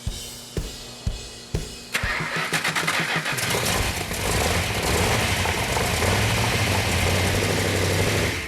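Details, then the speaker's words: Engine on a test stand that earlier wouldn't fire due to a faulty oil-leaking coil and timing 180° out, now fixed: a few cranks, then the V8 fires and runs steady with no misses. Oil pressure and water temperature are perfect. "such a life that it's running now it's running great we got all the oil pressure is perfect water temperature is perfect everything is running gre"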